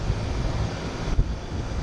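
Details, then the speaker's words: HVAC condenser unit during preventive maintenance: all four condenser fans running, steady rushing airflow with no rattle, squeal or wobble; fans run fine, so capacitor is not checked. "all four fans running myself capacitor go I don't need me checking my capacitor y'all all my fans going"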